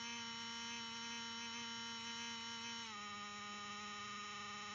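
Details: Used Lenovo ThinkPad T450, worked fine for a month: random steady high whining buzz dropping slightly in pitch partway; owner unsure whether fan noise or coil whine.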